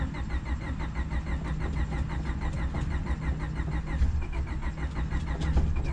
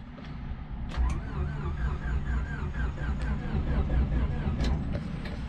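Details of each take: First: Honda Civic D-series cheap eBay turbo build, first start attempt after fixing bad grounds, with starting fluid added: the starter turns it over evenly at about five pulses a second but it never catches. Suspected fuel delivery problem. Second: Turbo Honda Civic D-series first startup after fixing bad grounds with an extra ground wire, a cup to check for oil pressure, clutch held: steady even starter churn turning the engine over, no clicks or hesitation; normal cranking.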